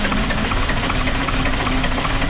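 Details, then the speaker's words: Dart bus diesel that was run out of fuel for the second time, with air getting into the fuel somewhere: it cranks and catches briefly, clattering unevenly near 600 rpm without settling, starved by air still in the lines. "right nearly there i can hear the start you see running at like 600 rpm"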